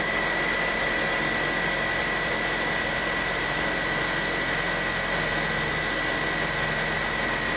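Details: 2008 Honda New Civic, first cold start of the day after cleaning the reservoir and changing the fluid: settles into a steady, even idle with no bell-like bearing whine or belt squeal. Engine sounds healthy after the repair.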